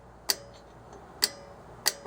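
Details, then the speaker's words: 2011 Toyota Yaris drum brake, star wheel adjuster turned while tightening the shoes toward the drum: three crisp, sharp clicks about a second apart as the wheel's teeth ratchet against the keeper plate; normal adjuster ratchet clicking. "those gears on that star wheel clicking against that I guess it's like a keeper piece back here"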